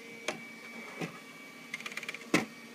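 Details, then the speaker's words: Bernina Artista 730 embroidery module in the service test program with a large hoop: quiet motor hum broken by clicks, then a stuttering burst and sharp clack as the hoop skips and reverses mid-travel; cause unknown, optical sensors inside the module possibly involved. "it should be smooth and right there it should not have reversed halfway through either and come back"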